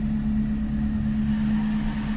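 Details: Renault Kwid small petrol engine idling steadily, even low hum, no stumbles or knocks; only an intermittent alternator code remains from broken connector.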